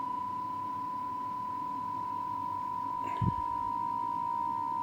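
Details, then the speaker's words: Cassette deck playing a 1 kHz test tape, compared against a Rohde & Schwarz reference signal: steady tone with a warble in the background shifting away; tape speed off, being adjusted by ear to zero beat. "there's a one kilohertz turn and a like a warble in the background"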